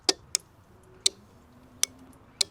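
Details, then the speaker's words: Relay block on 1UZ-FE V8 race car being wired for starter, fuel pump and ignition, microphone held over relays: sharp crisp clicks as button pressed; relays switching normally. "all of our relays are clicking now. So now it's time to run the outputs from our relays to the parts of the car that needs to go to."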